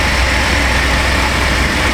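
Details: 1996 Chevy Astro van V6 idling after replacement of a leaking spider injector that had caused misfires and very rich running: an even, steady low idle with no misses, stumbles or ticking. Repair fixed it; normal idle.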